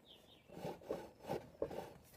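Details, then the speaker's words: Speedfight scooter whose front end hit a kerb: soft rasping scrapes in repeated bursts, a few per second, as the front catches on the rear plastic panel; panel correctly fitted, so the front end is suspected. "but in here listen yeah you can hear that it's catching on the back or the back plastic the plastic is in the right place so it's not that"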